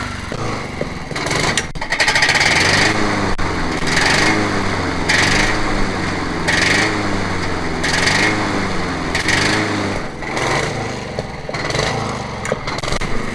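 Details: Honda HRH 536 HXE professional mower, running again: steady running with a harsh metallic clatter pulsing about once a second around the blade area; owner suspects the blade clutch, not confirmed.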